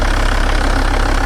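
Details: 1996 Volvo 850 2.5 TDI D5252T diesel with Bosch VE EDC pump: a deep, slightly lumpy rough idle that feels rich, heard after the hammer-mod injection quantity adjustment and AFM flap tweaking; owner suspects a tired AFM spring or worn injectors.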